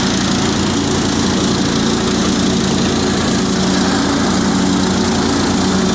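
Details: Cub Cadet 2130 garden tractor, revived after a fuel pump replacement, carburetor rebuild, choke and brake-switch wiring repairs; a little cold at about 35°F, in neutral; even, unbroken engine note with transmission/clutch whine, no misses or knocks; normal running.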